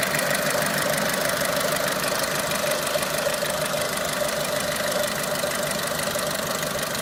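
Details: Renault Clio 3 1.4 16V at steady idle: light, fairly regular ticking knock about three times a second over the engine, source unclear; engine knocking noise.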